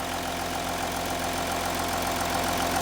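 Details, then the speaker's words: Audi Q7 3.0L diesel after the cylinder 4 injector was replaced, fixing the combustion leak and P0272 misfire: an even diesel clatter at a steady idle with no uneven beat between cylinders; normal idle. "the engine sounds great we no longer have the uh combustion leak that we had over here on cylinder number"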